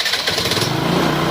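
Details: TVS Jupiter scooter with a no-start problem, running after the coils were checked and the fault repaired: steady even single-cylinder pulse with no misses or knocks; normal running.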